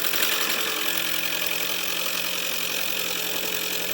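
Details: Toyota Prius hybrid start with injectors previously found faulty, microphone near engine: uneven idle with loose knocking rattle about four times a second; cylinder missing and possibly the flywheel damper between engine and transmission clattering.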